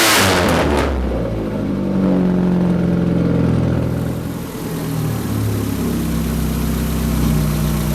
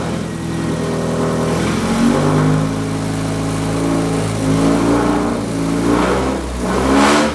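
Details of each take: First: Rat rod truck first start after radiator repair, engine not yet warmed up. Catches with a rev, then settles into a loud, rough, droning idle with a deep throb that is slightly high; no leaks seen, cause of the excess noise unclear. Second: Budget rat rod truck after radiator leak repair, warm engine started with a little throttle and no choke: steady, somewhat noisy idle with smooth even revs on throttle blips; runs well, no more leaks.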